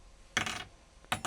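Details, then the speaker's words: Ductile iron piston ring with plasma moly face coating dropped: two bright sustained metallic rings rather than the dull thud of cast iron; indicates good ring material. "it has a ring to it. It doesn't go thud like the cast iron. Here's the next part. Nice ring, does a nice job."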